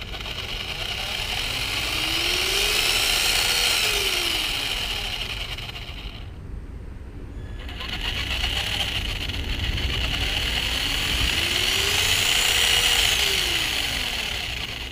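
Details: Traxxas Slash 2WD with 550 12-turn brushed motor: even electric whir winds up and back down twice with the throttle, no squeak or chatter; brushed motor running smoothly.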